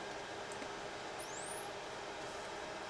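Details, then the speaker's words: Nikon L35AF with stuck shutter and no power, fed 3 V from a bench supply at battery terminals: thin high whine climbing in pitch over about a second; flash capacitor charging normally, drawing about 3 amps. "ooh I heard the The Flash The Flash capacitor charging up and it was drawing 3 amps"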